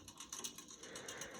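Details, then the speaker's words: 52-inch Casablanca Four Seasons III ceiling fan running in reverse on high: light, quick ticking clicks over a faint motor hum. Something in the fan clicks in that mode; cause unknown. "also make that sound when we don't spin down as well but yeah something is doing something in that mode to happen"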